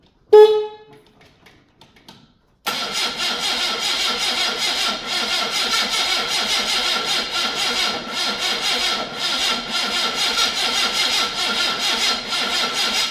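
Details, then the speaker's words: Morris Marina that sat a while, battery boosted: after a short honk, laboured uneven cranking stumbling against compression like kickback; owner suspects ignition timing set too far advanced. "Tom doesn't sound very good does it doesn't sound very [ __ ] good at all is the all down advaned feels like sounds like it's trying to kick back"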